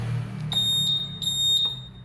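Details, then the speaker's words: Honda Vario 150 Smart Key with a dead starter button, SCU pin 6 jumpered straight to the starter button; four short high chirps over a low hum as the smart key indicator lights and the ignition knob unlocks. "Indikator smart key menyala, artinya kunci kontak, knop kunci kontak bisa diputar."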